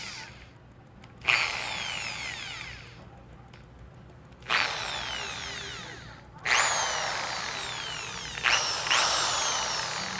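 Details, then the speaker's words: Makita electric drill after forward/reverse switch replacement, running in reverse: four short trigger pulls each winding up to a clean steady whine, no grinding or sparking crackle; normal. "Tapos pag i-reverse natin to, ayan, i-reverse natin, tignan natin yung kanyang ikot. Ayan. Ayan, paatras siya."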